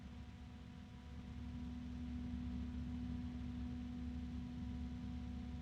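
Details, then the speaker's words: Evercool PC case fan, compared with a Noctua NF-A12x: a steady airy whoosh with a faint hum, louder and lower-toned than the Noctua, maybe around 39 dB, with no ticking or rubbing. The fan is running smoothly. "yeah this is definitely louder than the noctua although the high pitch of the noctua because this has got a lower this one's got a lower tone to it"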